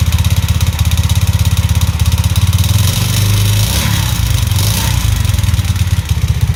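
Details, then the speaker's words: Alfa Delta Vento moped, engine rebuilt a month ago to 110cc with a cheap Chinese piston kit: loud fast metallic rattle on every firing pulse, about three a second, seemingly worse than after assembly; suspected piston knock, before replacing with original piston. "он очень сильно бренчит и такое ощущение что до этого он бренчал меньше когда я только собрал его"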